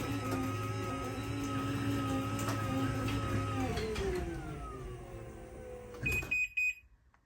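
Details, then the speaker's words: Chamberlain MyQ belt-drive garage door opener after new install, running to the up position; steady motor hum whose pitch glides down near the end as it slows to a soft stop instead of slamming; normal operation. "and now it's going through and putting it in the up position and you can hear these uh newer ones once they get to that desired position they actually slow down so it's not slamming shut"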